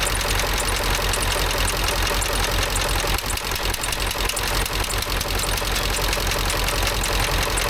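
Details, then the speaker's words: Ford F350 dually with the 7.3 Power Stroke diesel, after replacing a bent pushrod: even idle with a steady rattle of injection ticks, no loose tapping or misses; normal diesel idle. "let's start it up and see if it's any better. Sound better, but looks like everything's working right."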